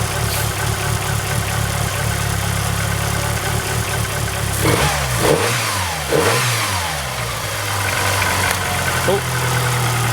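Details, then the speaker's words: 1999 Dodge Neon coupe after heater hose replacement and EGR delete: idle rises and falls in slow surges instead of holding steady; idle hunting, owner says it always has, cause not found. "It's always kind of hunted like that at idle, but"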